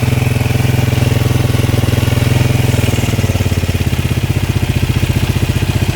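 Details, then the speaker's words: Kawasaki single after a doohickey (balancer tensioner) replacement with the Eagle Mike kit, just after start and not yet warmed up: steady, even idle thump, about three beats a second, no knocking; sounds different and healthy, owner hopes it quietens as oil circulates. "Definitely sounds different. I'm hoping that's how it's supposed to sound."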